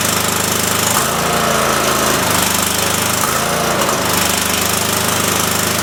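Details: Cub Cadet mower engine after carb screw refit, PTO engaged spinning blades; rough, uneven running whose beat keeps dropping out and catching, stumbling. Owner suspects a leaking fuel solenoid sucking air or a bad coil; unconfirmed.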